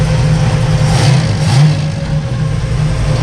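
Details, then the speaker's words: 1963 Chevy Nova after carburettor adjustment and raised idle: strong steady engine note rising and falling smoothly with the throttle, crazy throttle response, no stumble or hiss; normal revving. "wow what a difference oh he's gonna freak out man listen to that"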